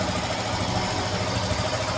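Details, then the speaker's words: Motorcycle after cleaning the drive chain to cure a kat-kat noise, idling in gear: steady even engine hum with no ticking or clacking from the chain; chain noise gone. "अभी शायद Maxam आवाज नहीं आ रही टट की जो पहले आ रही थी पहले काफी आवाज आ रही ी अभी कोई आवाज मुझे लग नहीं रही हैसे अभी फिलहाल"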